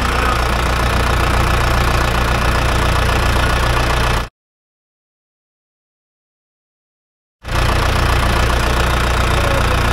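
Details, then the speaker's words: Logging dozer diesel restarted after about 15 minutes off: an uneven, stumbling clatter that keeps catching, starving for fuel. Its diaphragm lift pump is leaking from the weep hole and losing prime. Fuel starvation misfire. "when I tried to start it up here again it probably been shut off for about 15 minutes and it was um actually starving for fuel hit and miss but it kept going"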